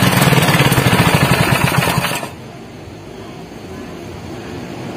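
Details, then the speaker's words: Honda GX160 single-cylinder engine runs with a rough, pulsing chug, then dies when the choke is opened; suspected air leak behind the carburetor (intake insulator, carburetor adhesive/seal or gasket), to be checked, not confirmed. "Then the next one is when you turn it on measuring like this, the life goes back like this and it's dead, for example, the engine runs like this"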